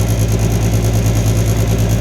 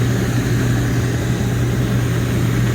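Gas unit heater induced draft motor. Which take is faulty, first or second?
first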